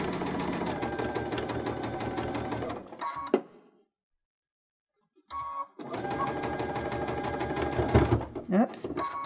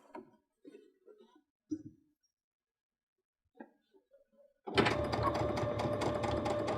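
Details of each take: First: Baby Lock Unity 22 sewing pintucks with a cord: heavy thumping stitch rhythm, stopping and restarting, as the needle sews through extra thickness where the cord caught underneath. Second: Baby Lock Unity 22 sewing pintucks with a pintuck foot and 3 mm twin needle, restarted after a caught cord caused thumping; handling taps, then quick, steady stitch rhythm without thumps; normal sewing.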